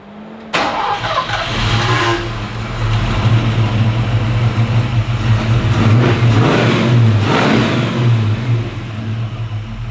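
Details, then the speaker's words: Sandman panel van V8 running in a new cam after the ignition-lead firing-order fix: catches, settles into a deep steady burble and rises smoothly with throttle blips. Timing is set, carb bowl fuel levels and floats adjusted, oil pressure good, no fuel leaks. "Well, it's finally working. I've timed it, adjusted the fuel levels in the bowls and the floats and stuff."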